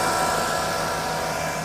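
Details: 2005 Mercedes-Benz C55 AMG M113 V8, 142,000 miles, just started after valve stem seal replacement (had smoking exhaust and cooked spark plugs): steady, even idle with no ticking, knocking or misfire, sounds nice and smooth; normal idle.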